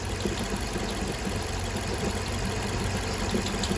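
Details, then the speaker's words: Chrysler 300C 5.7 Hemi after head gasket replacement: rough idle with loud firework-like pops while coolant reservoir bubbles heavily, not yet overheating; owner suspects a head gasket is still bad. "it almost sounded like a firework going off it was popping really loud"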